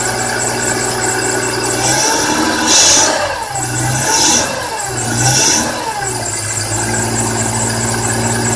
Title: e46 M3 scraping chirping grinding noise